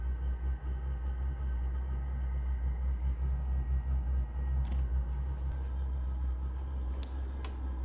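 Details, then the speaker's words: Propex propane tent heater in a portable box, burner lit and making hot air: a low, steady rumbling roar with a soft fan hum and a few faint clicks, not completely quiet; normal burner operation. "Now it's creating hot air. I mean, it's not completely quiet. There's a little bit of blah, blah, blah, blah, blah, blah, blah, but"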